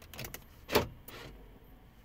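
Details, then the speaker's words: GM 2000–2006 keyless entry programming: holding the unlock button while cycling the ignition on and off, the other door locks cycle by themselves with sharp clunks, one loud, confirming remote programming mode is active. "not sure you guys hear the clicking of the other locks that means you're in the programming mode"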